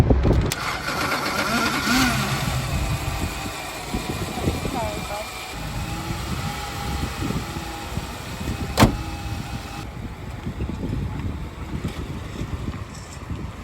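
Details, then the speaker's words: Junkyard BMW just unloaded from a trailer, started up: it runs rough with uneven low rumbling and irregular clunky bursts instead of a settled idle. The owner reports a really bad noise on every start, cause unknown. "I'm gonna get this off the trailer, and this thing, when you start it, makes this really bad noise. I don't know what it is, so when I get it off the trailer, I'll show you guys and see what you think."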